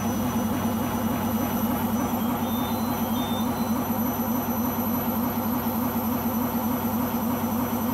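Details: Beko washing machine, described as on its last legs, during spin cycle: loud constant low roar with throbbing pulse throughout; owner suspects the rubber behind the drum, source unclear.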